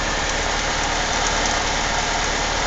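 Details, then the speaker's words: Saturn S-series petrol engine idling, car being scrapped: dense fast metallic clatter and ticking over the low running note; owner suspects timing chain rattle and bad lifters. "but boy do I hear that timing chain rattle around and it's got bad lifters just listen to that"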